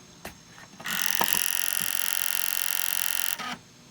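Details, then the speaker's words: PS2 Slim SCPH-70012 sold as non-working with noisy drive, laser condition unknown, powered on: a few clicks then a loud high-pitched whirring spin for about two and a half seconds; noisy disc drive. "At least I can plug it in and you can hear it. That it's noisy."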